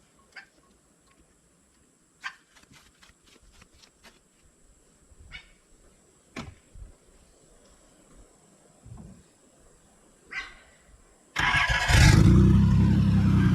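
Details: Nissan 300ZX started on a battery borrowed from another car: scattered clicks and handling noises, then the engine catches at once and settles into a strong, even run. A clean normal start, though it has a small water leak into the oil.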